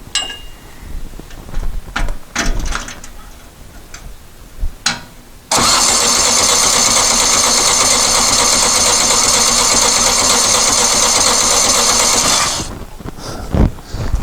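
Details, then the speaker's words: Dune buggy after new fuel pump pushrod installed, fuel barely dribbles from fuel pump though it starts with fuel poured in carb: steady, even cranking about seven seconds with no firing; cranking no-start, likely fuel delivery problem. "don't think our fuel pump died so i've checked the fuel line from the tank to the carb from the tank to the fuel pump inlet poured some fuel in the carburetor and it'll start and fuel barely dribbles out of the fuel pump"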